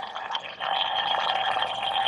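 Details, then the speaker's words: Nissan Z32 twin-turbo coolant leak traced to the water pump: steady high hiss with a faint gurgling whistle at the pump pulley, coolant escaping past the pump, which the owner is about 90% sure is bad. "well here's one that I really never come across before but I found my leak from quiet you can hear it"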